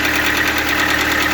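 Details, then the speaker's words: Lada Largus/Vesta engine, cold, after an oil change: quick, even ticking over the idle; hydraulic lifter (compensator) clatter, probably from low oil pressure. "похоже также потёк не вижу компенсатор всё также щёлкает"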